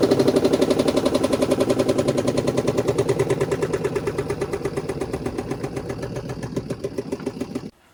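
Hard, rapid knocking about four times a second that fades as the drum slows; a sock or cloth wound around the spin shaft.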